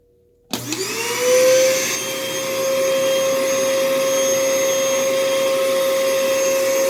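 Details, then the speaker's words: Thrift store canister vacuum: the motor spins up to a steady high whine with coarse roughness underneath; the motor needs work but there is suction and the machine works. "hmm well this motor needs some work as well but there is suction the machine is working"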